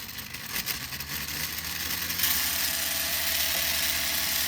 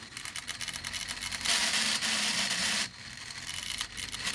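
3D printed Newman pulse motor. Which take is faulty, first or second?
second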